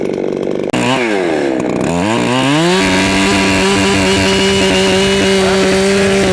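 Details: Ported, tuned Echo CS7310P chainsaw with 20-inch Sugihara bar and chain, still breaking in and slightly four-stroking, cutting hard maple: quick revs then high steady scream in the cut without bogging; strong, healthy.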